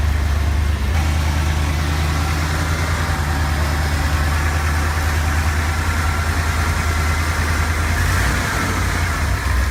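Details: 1970 Ford F250 V8 with a high idle and stalling at stops, running after carburetor cleaning and priming: steady even rumble held at a fast idle; corroded distributor cap terminals found to be the cause.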